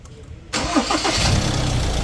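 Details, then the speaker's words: Ford Ranger MC over 100,000 km, after replacing the alternator pulley bearing, belt tensioner pulley and front belt, with the AC on: short crank, then an even idle with no squeal, chirp or rattle. The engine starts and runs normally. "อ้าวเงียบแล้วนะจ๊ะรอดไปนะครับสำหรับคันนี้นะฮะเสียงหายเป็นปลิดทิ้งเลยนะครับ"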